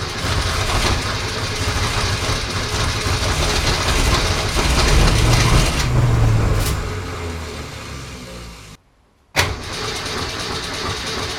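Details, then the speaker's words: Newly rebuilt '65 Ford Falcon engine, second start attempt; catches, lopes and stumbles with a ragged beat, then dips and stalls; possibly flooded with fuel, unconfirmed. "right crank it that feels awfully rough it is so the engine is not quite starting there's a possibility that it could be flooded with fuel"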